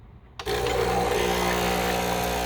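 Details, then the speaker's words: Original Verismo Starbucks espresso machine after priming the dried-out pump with water: after a click, a steady buzzing hum holds an even pitch; the pump is now drawing water into the cup normally, no-water fault fixed. "look at that it's causing suction because look the top is completely air is being sucked out that means the water is being sucked out and as you could tell it went into the cup"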